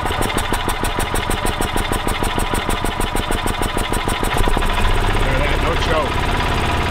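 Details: 1985 Club Car DS gas golf cart, which would crank but barely start, after its carburetor was cleaned: slow chuffing while cranking at about three beats a second, then it catches and settles into an even run. Normal running.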